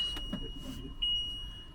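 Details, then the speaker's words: 2021 Ford Transit 250 High Roof AWD, ignition in position two, factory swivel seat turned reversed: high steady electronic tone near 3 kHz over quiet cabin; swivel seat sensor warning alarm, to be disconnected. "So today we're gonna show you how to disconnect the swivel seat sensor to avoid the noise that alarm"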